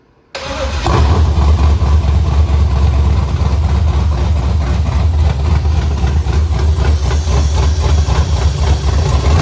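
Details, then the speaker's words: Pontiac Tempest with 6.0L V8 and 4L80E swap, Bullet racing cam 218/228, first start: fires right up into a very loud, choppy, lumpy idle with no knocks or ticks; normal running, oil pressure to be checked. "yep wow ho that is loud maybe I need to get cutouts and just have a freaking hot rod"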